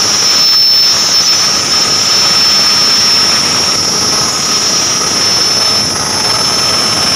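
A steady, piercing high squeal rides over the running engine without letting up; it points to a slipping AC belt.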